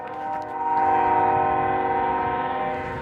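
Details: Union Pacific locomotive air horn stuck on for about five hours, recorded nearing the tracks: loud steady multi-note horn blast holding one pitch without pause; horn stuck on, won't shut off.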